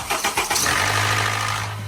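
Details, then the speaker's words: Cold-engine start: a few cranking pulses catch into a rough idle with a light metallic "tec-tec" tick on top. Possibly valve clearance, hydraulic lifters or valves; not confirmed. "Começando pelos estalos metálicos, aquele tectec na partida com motor frio."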